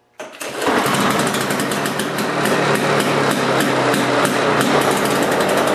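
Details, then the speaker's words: Two-cycle Lawn-Boy lawn mower started briefly: sharp crackly two-stroke buzz picks up quickly and settles into a steady even rhythm; normal healthy running. "i'm just going to start it up and stop it right away so you guys can hear the sound of a two-cycle engine on the lawn mower"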